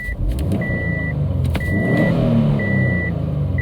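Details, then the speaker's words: Subaru WRX STI with code P0171 blamed on a dirty mass air flow sensor, now fitted with a brand-new MAF, snap throttle: engine revs up smoothly without stumble or hesitation over a repeating beep; it sounds like it breathes much better. "the engine sounds like it's breathing a lot better"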